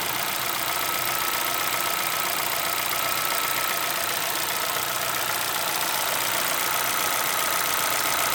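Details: 2011 Chevrolet Celta VHCE engine at a steady idle with a fast metallic tapping, about four a second, over a hissy top end. Owner is unsure of the cause; a knock at idle.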